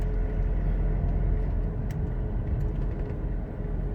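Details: Aggressive mud-terrain tires (four, fairly new, from a Suzuki Caribian) heard while driving a 2-year-old Toyota Revo at about 70 km/h; steady low droning roar with no rhythm, coming clearly from the rear: mud-terrain tire roar.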